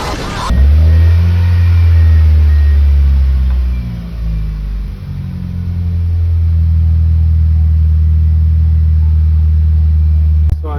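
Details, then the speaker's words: 1999 Mitsubishi Eclipse GS in neutral, after replacing the idle air control valve: deep steady engine hum holding a raised, even speed without settling; idle still higher than normal, not yet fixed. "This is what I mean by it is idling higher than normal. Like I said before, it usually has to idle around that area right there."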